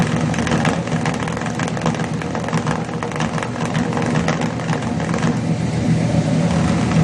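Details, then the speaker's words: Chevrolet 350 V8 with long tube headers and a failed valley-side intake manifold gasket, before repair: lumpy idle with irregular exhaust pulses at tailpipe; cylinders four and six weak on power balance test. "to have an irregular note and a regular amount of exhaust pulses coming out of tailpipe"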